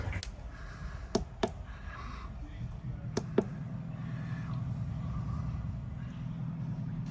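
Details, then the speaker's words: Lombardini LMG9000 marine diesel generator on a Leopard 45 catamaran, after pencil anode replacement and coolant change to 50-50 mix, first start: couple of sharp clicks then even smooth low drone, no knocking; normal running. "Well, I suppose I better see if it still starts with all the water that's been around, and then top up the coolant as the air comes out."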